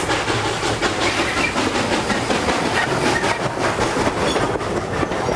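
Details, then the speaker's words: Steam locomotive with small boiler and small firebox, running smoothly on the line with a steady rolling rumble and even wheel clatter over rail joints, no odd knocks; engineer calls it a good, trouble-free engine, steaming well; normal running. "I like this engine. It's a good engine. It's a smooth running engine. It doesn't give me any trouble."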